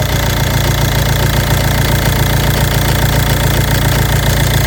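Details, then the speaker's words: Ford Mondeo 2.0 diesel 136 hp, automatic going into limp mode, jerking and stalling: idle with light throttle shows even low quacking pulse about 1.5 beats a second; quacking stops when connector unplugged from turbo control valve, identified as faulty. "Дивіться, шановні, я не знаю, чи буде чути квакающий такий, квакающий звук. Я дам трошки газку."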